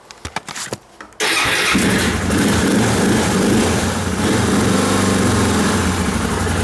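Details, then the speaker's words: Motorcycle cold start on choke, not warmed up: starter cranks about a second, catches and settles into a steady, fairly low choke idle; starts cleanly, though it never idles up very high on choke. "thing never really idles up very high when you pull the choke on. Sometimes they do."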